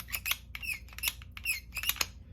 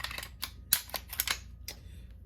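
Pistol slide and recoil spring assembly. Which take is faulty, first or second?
first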